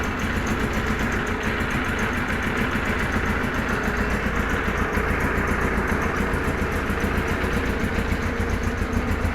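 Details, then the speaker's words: Kawasaki KZ1000 police bike (KZP 1000), cold start with choke off: busy, uneven, loping, stumbling idle with a vibrating rattle from the left. Charging is 13.8–14.2 V and compression is 145–155; the cause of the rough running is still unknown. "so anyway that's as good as I can get it to run I can't get it to run any better than that and that runs like crap"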